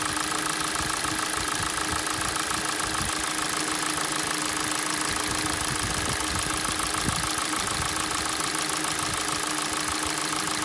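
Fast, even ticking knock rides over a cold idle, roughly two a second, with a steady hum behind it; the source is unclear.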